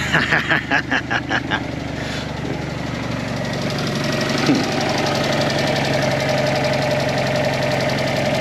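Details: Fiat 500 TwinAir with replacement used engine, after cranking with plugs out and fuel pump disconnected to build oil pressure until the oil light went out, then reconnected: sharp cranking pulses, then catches into a steady even idle, no knocking; starts normally.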